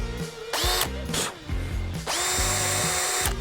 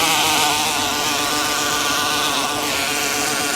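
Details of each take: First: Cordless drill on a DIY test rig after being soaked with water, three-second trigger bursts: motor whine rises quickly to steady pitch and spins down cleanly each time; drill still runs normally despite water inside the body. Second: Cordless drill in a DIY test rig, in gear 2 with the trigger tied on, driving a paddle through water: steady motor whir under load with irregular ratcheting chatter, the clutch slipping because the drill was left in screw mode.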